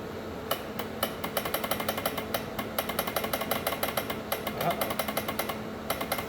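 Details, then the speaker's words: Polaris Xplorer 400 4x4 ATV, non-running, on a jump pack, trying the starter: fast steady clicking about ten times a second with no cranking, solenoid chattering; cause not confirmed. "Solenoid's making noise."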